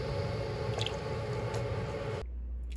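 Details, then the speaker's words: Customer-returned Nathan Monitor steam injector at 35 psi (dropping to 30), lifting water three to four feet: steady rushing hiss, no sputtering, picks up and sounds good; no fault found, problem suspected on customer's engine. "i did eventually pick up and it does sound good so we should be good even at 35 psi"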